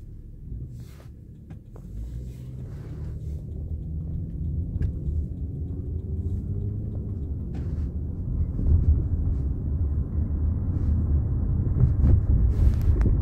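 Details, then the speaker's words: 1998 Toyota Camry, 132,958 miles, driving with newly installed aftermarket struts, camera at rear: deep road rumble with scattered dull knocks over bumps; owner blames the new struts, old ones were quiet. "you will see that these struts are making a ridiculous amount of noise"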